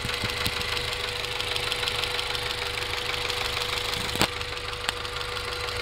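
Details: 1994 Acura Integra GSR idling with light, somewhat uneven ticking about three per second over a hissy running sound; owner suspects rod knock, exhaust leak or valve lash, unconfirmed.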